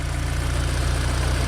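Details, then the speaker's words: Mini Cooper R50 after R53 intake manifold install, air filter not yet fitted: steady, even low idle with regular pulse, no misses, knocks or hissing; engine sounds fine (owner notes rough running would usually mean a vacuum hose leak). "Obviously make sure you can hear the engine's running right, which does sound fine. If it doesn't sound right, normally that's probably because of a vacuum hose."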